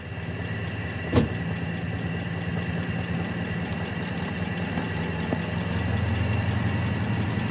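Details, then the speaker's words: Truck belt system after repair, alternator charging (battery 12.54 V before start), belts running true: steady, even idle and a throttle blip with no growl or whine from the belt end. Normal idle. "So we'll give it a little throttle. So I'm not hearing any weird noises"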